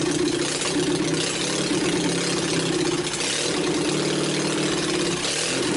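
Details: Old Onan 22hp opposed twin with points ignition retrofit, new battery, just started: uneven lumpy idle, beat wavering and dipping every few seconds; rough running before carburetor adjustment and points dwell setting.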